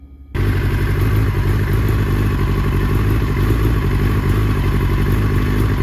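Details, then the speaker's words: 2005 R6 motorcycle with a pinging misfire that is worse at higher temperatures: loud steady run with a ragged, stuttering beat. Bad fuel or poor ignition is suspected; fuel stabilizer was added and the spark plugs were then replaced. "so you guys heard the bike stuttering like that it would kind of misfire and this can probably be attributed to bad fuel poor ignition or maybe something else in your circuit in your actual engine"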